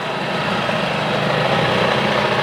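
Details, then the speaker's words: 1975 Johnson 25hp outboard, not run in over 4 years, idling in gear on a windy day. The idle holds steady without stumbling or surging, with wind noise behind it; normal idle. "The fog's rolling in. It's already idling a lot better. That was idling in gear."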